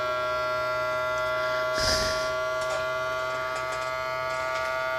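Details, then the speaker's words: Creality Ender 3 V3 Plus 3D printer during startup self-check homing: steady high fan and stepper whine with scattered, uneven ticks and a brief rustle; erratic ticking. "Hurry up. What the hell is this thing doing?"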